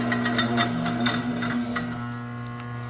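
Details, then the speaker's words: Garbage disposal that stays seized after freeing with a quarter-inch Allen wrench from underneath: steady low electrical buzz with no spin-up when powered. The motor stalls and needs replacing. "you can see in my case it is not working it's still making that buzzing sound so at this point in my case we're going to replace the garbage disposal"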